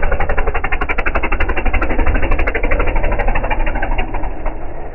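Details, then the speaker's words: Air-cooled dune buggy engine after its carburetor was removed, cleaned and tuned, heard driving past: uneven choppy beat about three pulses per second, still running rough, little or no improvement. "well we took the carburetor off his buggy cleaned it out and uh tried tuning it up a little bit we'll see if it sounds any better going by and not by much if any"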